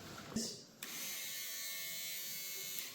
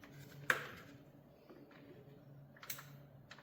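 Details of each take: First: Abandoned, stripped Suzuki motorbike with its starter powered directly: a thin high whir for about two seconds while the engine does not turn. The starter spins freely with nothing to engage, suspected missing teeth or parts. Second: 500cc motorcycle abandoned in a field for years, jump-started from a van battery: a few light taps, then quick, even cranking with uniform compression pulses. The engine is not seized, turns freely and seems to have good compression.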